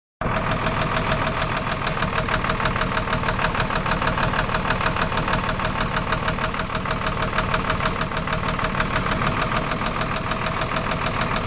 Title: Engine Knock